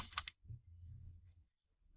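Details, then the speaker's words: Car PCV valve, removed and shaken by hand to test: short bursts of light, crisp clicks each shake show the pivot moves freely and the valve isn't stuck (a stuck one can cause vacuum leak and idle problems). "You have to hear the pivot, there has to be a sound to check that it is not completely stuck."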